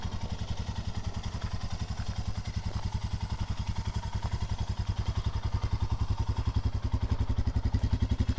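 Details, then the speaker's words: Royal Enfield Himalayan single after many miles on a trip to the 2021 Sturgis rally: steady even thumping at idle, regular beat, no knocks or rattles; runs really perfect. "Let's fire these up. so you guys can hear what the engine sounds like after so many miles. Turn that on. Runs really perfect."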